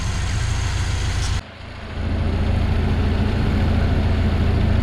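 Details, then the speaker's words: Yugo Sana GL revived after 20+ years, warmed to about 70–80°C with electric fan working: smooth even low rumble holding a steady beat with no misses or knocks after a brief dip; normal warm idle. "So things are looking pretty good. The engine's idling lovely, all good there, no rubbish out the back."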